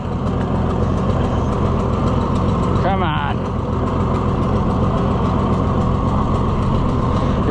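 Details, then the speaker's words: Junkyard Oliver Super 77 tractor on its first test drive: a rough, uneven idle with a breathy, puffing air rush on top of the firing, from exhaust blowing through holes in the manifold. Exhaust manifold leak. "it had a better manifold on it, it would sound better. Cuz right now, you can hear that air sound from where it's blowing through the holes in the manifold."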